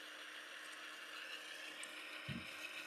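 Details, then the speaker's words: HO scale model locomotive running on track without its shell: faint, irregular clicking about twice a second over a light whir, attributed to a faulty drive shaft coupling. "You hear the clicking sound because there's something wrong with the shaft coupling right there."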